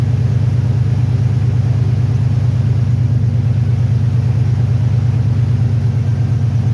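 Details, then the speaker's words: 1993 Ford Bronco after replacing a seized smog (air) pump that had the belt squealing badly, serpentine belt now routed correctly: deep, steady, even rumble with a smooth regular beat and no squeal, grind or knock; normal running. "N be all right. Sounds way better. About looks good. Awesome."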